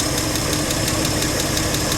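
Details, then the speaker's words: Old truck running again after sitting almost 15 years; engine running steadily with a quick even ticking and a faint whine from the power steering pump. "Oh, that sound I was hearing, that's the power steering pump."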